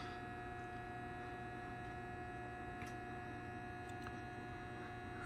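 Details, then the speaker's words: Schumacher MC1281 battery charger, brand new, connected to a car battery; steady, even transformer hum with no pulsing or pitch change, considered normal, unlike the wavering whine owner worries about when it is unplugged from the vehicle. "and I understand that Transformer sound I don't have any problem with that it's got a nice steady home that makes that would make sense to me"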